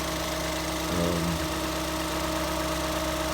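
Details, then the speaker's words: 2014 Ford Escape 1.6L solid-lifter engine (no hydraulic lifters) at a steady, smooth idle after head gasket replacement; starts right up, valve mechanisms audible but no knocks or misses, normal idle. "You know, like I said, it runs well. Starts right up. Sounds good. Little solid lifter motor. You hear the little valve mechanisms working in there because there's no hydraulic lifters on this motor."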